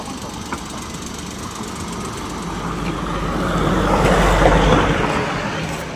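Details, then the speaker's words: Suzuki DA16 mini van that was noisy when running, after a bearing replacement and a shop visit: low, even engine hum with no squeal or chirp; the accessory belt drive now runs quietly and normally. "Ah yan mga master hindi na masyadong maingay."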